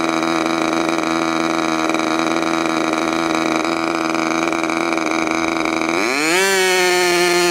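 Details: Freshly overhauled modified K&B .61 glow engine from CF Lee, test run after idle screw setting and restart: steady high-pitched buzz, then climbs cleanly as throttle opens; healthy and responsive.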